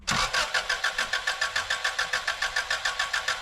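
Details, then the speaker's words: JDM Subaru Impreza GC8 Version 5: starter cranks evenly at about three and a half turns a second but engine never catches because the fuel pump is not priming; crank, no start. "What we're experiencing with this car is a crank. No start."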